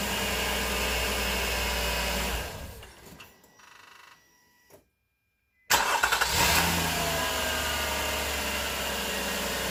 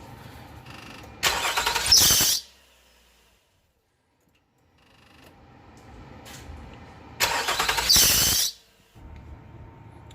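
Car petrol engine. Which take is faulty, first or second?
second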